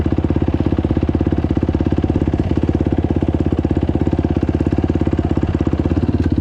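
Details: 2021 YFZ 450R with a newly fitted HMF slip-on exhaust and fuel optimizer on its first test run. The single-cylinder thumps quickly and regularly at idle with no surging or hunting; a smooth, steady idle.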